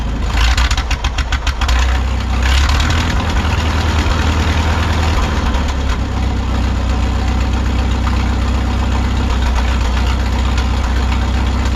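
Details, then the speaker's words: 1951 Farmall M tractor at idle after new points, carburetor not yet replaced: uneven, stumbling pulses then a lumpy beat; hesitation and sputter persist, owner suspects the carburetor. "no luck there still doing the same thing but at least we know we have good points in there now"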